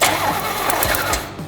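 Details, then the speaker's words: 34-year-old Pontiac Fiero abandoned 8 years, new battery and ignition lock cylinder, spark confirmed at distributor: starter cranks a few quick beats, then the engine stumbles and catches on some cylinders, trying to fire without running yet. "we do we have spark you hear it yeah oh yeah now it wants to fire"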